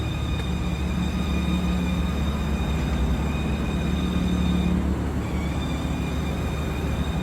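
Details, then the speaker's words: BMW idling before the valve cover is replaced: even idle with a thin, steady high-pitched squeal holding its pitch. PCV valve squeak from the failing valve cover. "I'll add some audio for you to show you like how shitty it sounds right now. For those of you that want to know what a valve cover squeak sounds like, or PCV valve squeak,"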